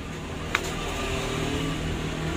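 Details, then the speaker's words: Honda Mega Pro motorcycle, full-wave ignition, after tracing and reconnecting the ignition wiring: quiet, steady single-cylinder running under a faint hum with one click near the start; engine runs normally. "Nah, kalau minyak ada, karbu bagus, busi bagus, api bagus, motor pasti nyala, bro."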